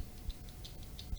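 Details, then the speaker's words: Small low-wattage speaker for small radios, bench-tested by touching a battery to its terminals: faint, irregular crackles at each touch; voice coil intact, speaker normal. "ada bunyi kresek-kresek Hai itu berarti masih normal mungkin kurang keras suaranya ya"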